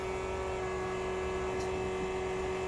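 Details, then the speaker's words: G-body Monte Carlo SS with stroker LS swap, ignition on without cranking, first start after transmission rebuild following a fire: steady, even electric hum at one pitch for a few seconds, normal fuel pump priming. "put it in ignition turn it don't turn it over just turn it on all right fuel pump on pump"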